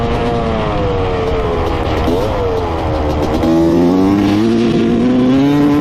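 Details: 1995 Honda CR250 two-stroke dirt bike, after float height set to 16 mm: fine first quarter throttle, then revs stumble and break up through mid and upper range; owner thinks it sounds lean or like a fouled plug. Bog.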